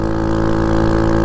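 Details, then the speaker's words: Honda Monkey 125 riding in Scottish mountains after its Tenshi exhaust snapped off; raw, loud unmuffled blatting putter with a sharp edge on each firing pulse. Broken exhaust leak. "my Manliness and nothing to do with a bike making a known horrendous splitter noise ever I quite like it"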